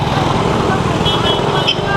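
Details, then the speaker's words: Yamaha Aerox 155 scooter idling at a stoplight after the camshaft assembly was replaced with new parts to cure a sandy ticking heard when revving from a stop: steady idle, no rattle or top-end tapping. Normal idle, fault resolved. "Wala. Walang tunog. That's good."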